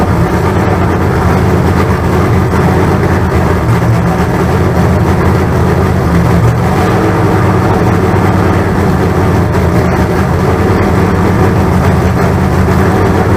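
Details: Freshly built 388 small-block Chevy V8 (with the 406's used heads and intake) on a run-in stand. Loud, steady rumble at a fast idle with no knocks or misses; solid oil pressure of about 80 psi, a healthy break-in.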